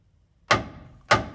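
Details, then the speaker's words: 1985 Toyota pickup 4WD frame, section under the bed replaced with 3/16-inch steel in 2011, hammer test: two crisp strikes ring cleanly and decay evenly, no dull thud; solid frame. "that's the good sound of a solid frame"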